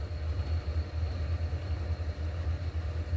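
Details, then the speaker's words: 1959 Axeman Anderson 130M coal stoker boiler: after replacing the AHS fan assembly, which rattled for 10 months, with old Axeman bearing and fan parts, the combustion fan gives a soft, even, smooth hum with no rubbing or whine. "we grabbed a bunch of old vacman stuff and stuck it on here and listen to this I've been running the H the Radley AHS stuff for uh 10 months now I forgot how quiet this is"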